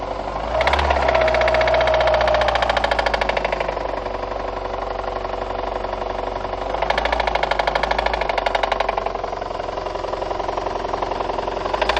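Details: VAZ 2114 engine: hard steady metallic knocking about three a second over idle, swelling with revs; rod bearings of cylinders 2, 3 and 4 spun, plus burnt valves; rod knock.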